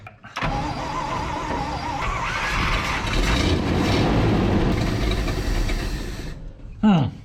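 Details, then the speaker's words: Abandoned 1959 Chevrolet truck with Buick Nailhead V8, first revival run: it revs up, then drops back roughly and unevenly instead of settling; it likes choke, and an unhappy carburetor is suspected. "Trying to bust off on the fuel even. There she Come on, girl. She just don't like coming back from the revs."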